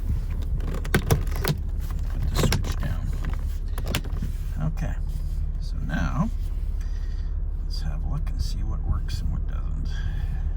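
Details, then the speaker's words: 2006 Honda Odyssey EX-L after replacing the master window switch with an aftermarket unit: the driver window auto down/up, passenger and rear windows hum smoothly and stop cleanly. Windows are working normally. "Okay driver's wi all let's try the auto down okay Auto down is working"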